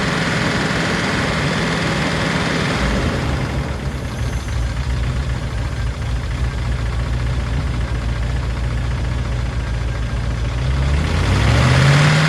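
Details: P38 Range Rover V8, stuck valve/lifter after sitting all winter, fresh oil with Liquid Moly and Rislone added, warming up at idle: light quick ticking about three or four per second, mostly right side; sticky lifters suspected.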